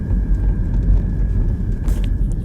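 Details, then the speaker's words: 2016 BMW 320d diesel after repair, accelerating: steady low drone with no rattle. The rattle came from a broken handbrake cable bracket letting the cable hit the propeller shaft. "अभी भी गाड़ी को accelerate कर रहे हैं कुछ भी कर रहे तो वो आवाज़ जो थी वो चली गई है अभी ए नहीं रही है बिल्कुल भी"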